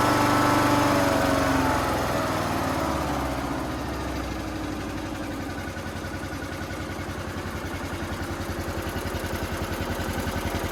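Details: Toro Z420 TimeCutter zero-turn mower with swapped motor after fitting a conversion carburetor, choke disengaging: fires and revs briefly, then pitch drops into an even, regular idle thump with no misses; running healthily.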